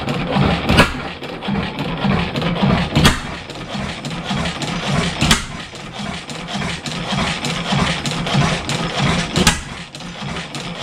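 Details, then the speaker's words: 7HP Stickney stationary engine, revived after decades of sitting, running without a muffler: slow uneven firing with irregular loud pops every few seconds, not picking up speed; owner suspects an air leak, then finds the hot/cold choke setting wrong. "it was running better before yeah it's not picking up like it fire still I can't can't feather it back"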